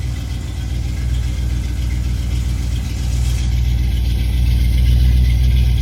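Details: 1987 Chrysler Fifth Avenue, not run for about 6 months, just started cold in January on choke, runs fine: smooth, even low rumble holding steady for six seconds with no stumbles or knocks. Normal cold idle.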